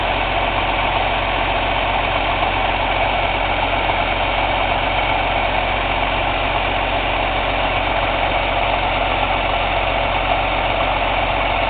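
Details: Cummins ISX CM2250 diesel at steady idle during DPF regeneration: uneven airy chuff from the intake about once a second, no mechanical noise or metallic knock; owner suspects turbo chuff during regen, unconfirmed.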